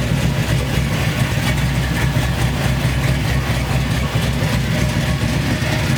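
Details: Chevy C10 V8 after a new wiring harness, injectors and MAP sensor: a deep idle with a lumpy, uneven rumble that wavers instead of settling; a vacuum leak makes the idle act up.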